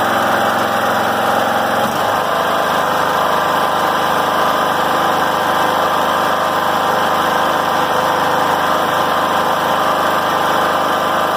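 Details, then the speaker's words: John Deere L100 rider, after governor arm reset: steady even high idle about 3100–3200 rpm, within 2800–3200 spec, no surging or missing; healthy. "so all right right around 3 100 3200 perfect should be between 2 800 3000 3200 at the very max so that is good"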